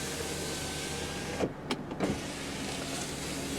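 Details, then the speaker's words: 2001 VW Passat with 114,610 miles, driver-side rear power window: a short electric whir under a second with no glass movement; motor runs but window does not move, cause unknown. "And as you can see, this one does not work. Alright, you can hear the motor going a little bit, so not sure exactly what's going on there."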